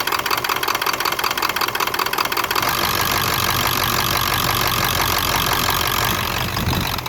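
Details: 1996 Ford F250 7.3 diesel V8 clatters unevenly as it drops back toward idle, stumbling before settling; rough idle on deceleration.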